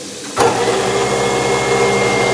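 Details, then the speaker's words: New Moen Prep GX50c disposal replacing an InSinkErator Badger 1/3 HP, heard under the sink by the motor. A sharp thump, then a steady hum with a faint high whine and no grinding. The motor end is quieter, but the sink end seems louder; running normally. "definitely quieter in the closet. So it is definitely quieter down in here. However, I think it's a lot noisier up here."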